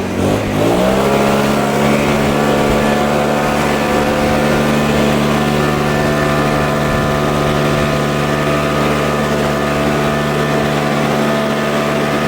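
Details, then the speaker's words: Cheap Troy-Bilt backpack blower, two-stroke, after Seafoam, primed a dozen times, started first pull on medium choke then choke off: catches quickly into a steady, even high-revving drone, no misfires or surging; normal idle and full throttle. "So boys and girls, it fired right up. I hit the primer bulb a dozen times. Went to full choke, medium choke. I mean, it started first full, medium choke, and then off. So it's running great so far."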